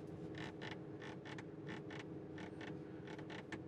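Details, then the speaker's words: 2021 Audi RS5 Sportback, brand new, door card armrest pressed while seated: short dry creaks in pairs, about eight in four seconds; door trim panel creaking, also slightly on the other side. "first of all here the door cards i like to rest my arm on this while i'm driving and when i do i hear"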